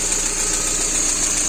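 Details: Lada Priora petrol engine idling after hydraulic lifter flushing and valve stem seal replacement, initially running with misfires: fast, light top-end ticking as the hydraulic lifters have not pumped up; hydraulic lifter tapping at idle.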